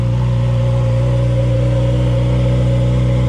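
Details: 2015–2018 Yamaha R6 after fuel tank and pump conversion, just started: steady, even four-cylinder hum at idle with smooth throttle blips and no knocks or rattles; engine running healthy.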